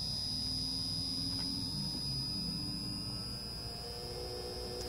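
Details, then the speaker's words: Wagner 3-phase motor, 1725 rpm at 60 Hz, on a VFD fed through a 110-to-220 V step-up transformer, ramping from 13 Hz to full speed: steady high whine over smooth even hum, no knocks; running normally. "You can hear the motor speed up, and let's go to full speed now."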